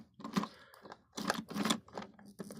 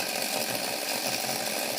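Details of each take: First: Hornby OO gauge Flying Scotsman model loco on layout track after fixes: short uneven bursts of mechanical chatter with near-silent gaps, stalling and restarting; ran fine on rolling road, other locos run fine on this track, cause unknown. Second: Hornby OO Flying Scotsman model locomotive, motor serviced, seated on the rolling road; steady, even high-pitched whir with no stutter or catches, connections fine; normal running.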